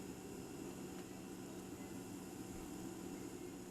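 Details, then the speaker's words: Instant Pot Duo Evo Plus 8 quart cooking during water test with 3 cups of water, after preheating steam stopped: soft steady hiss with faint low hum, no spitting or valve chatter; normal pressure cooking. "And so this is what it sounds like while it's cooking. Nice, low, and quiet."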